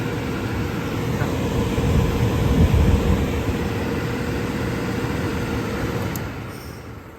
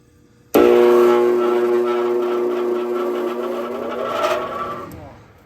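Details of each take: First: Indoor furnace blower after the fallen-off duct insulation liner that was being sucked into the fan was removed and the liner edges glued down: a steady, even air rush with a low hum, no rattles or scraping; normal blower operation. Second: Furnace indoor blower in a rental unit: it starts with a loud droning hum and rough roar, then winds down. Fallen duct insulation liner got sucked into the blower and it ran unbalanced and vibrating for a long time. The motor is failing and must be replaced; the wheel may be worn too.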